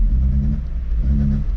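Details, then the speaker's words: Neglected, very rusty VW Golf Mk3 dumping smoke: deep rumble swells as throttle opens but revs don't climb and the engine bogs, stalling at times; owner suspects basic maintenance such as spark plugs is needed. "Now it's in rough shape. And you rev it, just like bogs."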